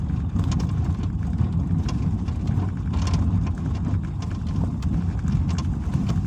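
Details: Suzuki SX4, 90,000 km, on gravel: irregular light knocks at front left over road rumble; suspension checked fine, actual cause was the hood resting on a too-low left rubber bump stop near the fender, cured by raising it.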